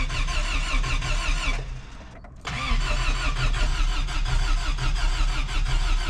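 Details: Toyota 4Runner 1st gen with 22RE engine after rebuild, freshly filled with oil: steady cranking that never catches; owner suspects distributor/ignition timing one tooth off; crank no start.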